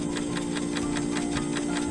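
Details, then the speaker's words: Refrigerator overfreezing with warm lower section: fast even clock-like ticking about eight per second over steady hum, loud at night; defrost timer sticking, never enters defrost. "entonces quiere decir que ese reloj no sirve se está quedando pegado como quiere avanzar se desangra no por dentro probablemente eso pasó y hasta ahí quedó entonces nunca entra el sistema de deshielo no entra a descongelar por eso se nos llena mucho"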